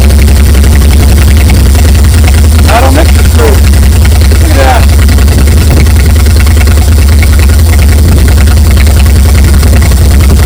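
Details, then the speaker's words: 1959 GMC 100 pickup with a V8, recovered after over 30 years. Now running without oil leaks and with coolant in it, it holds a deep, even V8 rumble with no misses or knocks: normal idle. "just idling like it fired like it's hasn't been fired up or like it was fired up yesterday."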